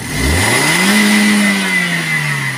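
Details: 2016 Toyota Vios petrol engine revving and settling, with a raspy hiss over the rev; suspected exhaust manifold gasket leak, not confirmed.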